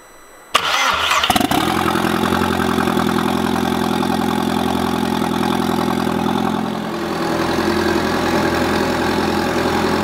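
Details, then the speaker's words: Turbo 1.8 20v petrol engine after changing a leaking seal: quick crank, catches at once and settles to a smooth even idle with no misses or knocks; running very well, smoke visible. "la fumée sort par ici il tourne super bien je suis super content"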